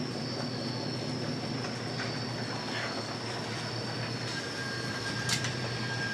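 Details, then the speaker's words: Chevy K5, heard during a 2000-2006 GM truck hub assembly replacement after refitting the hub: a faint, steady high-pitched squeal over a quiet background rumble; squeaky brakes, cause not stated. "Big dummy's back with this K5, as you can hear. Squeaky brakes. We'll be getting to that soon too."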